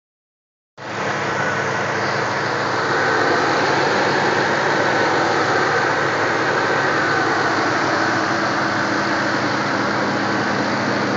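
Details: 2005 Pontiac GTO V8 with SLP headers and Corsa Sport exhaust: steady idle with a faint quick tick about three per second; owner suspects an exhaust leak at the headers, unconfirmed; ticking at idle.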